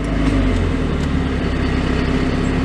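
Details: 1990 Mazda MX-5 Miata four-cylinder, idling with AC off (rpm changes when AC is on); steady hum at a settled idle, outdoor background, no misses or knocks; normal idle. Car also has shifter bushing, transmission shavings and oil leak issues.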